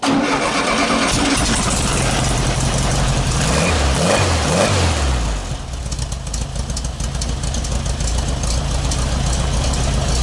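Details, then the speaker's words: Tonella Fuskátia, after carburetor setup, started in the dark, not yet warm; catches and settles into slightly uneven lumpy wavering idle; mixture screw opened almost half turn to stabilize idle; unsteady idle after start. "A gente teve que abrir o parafuso da mistura quase meia volta para ele estabilizar a marcha lenta."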